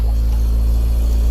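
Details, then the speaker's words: Acura RSX K-series after fitting a fuel return and flex-fuel system, fuel pressure holding at 46 psi with no leaks: a steady, even, low idle rumble with no knocks, misses or hunting; runs healthy. "46 psi and holding yeah so everything's good everything's running"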